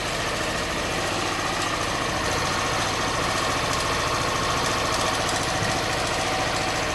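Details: Honda Bros 160 at idle: a steady knock of about three to four per second over a busy mechanical clatter, source not identified. The engine noise persists after four warranty visits.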